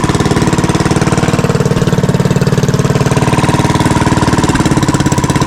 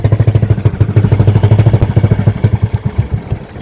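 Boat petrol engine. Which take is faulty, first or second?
second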